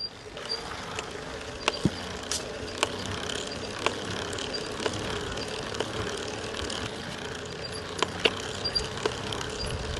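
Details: Second warranty Shimano EP801 e-bike drive unit at about 700 km: sharp cracking knock about once a second as right crank arm passes 1 o'clock, over hiss; axial play increased after about 500 km, same as first motor.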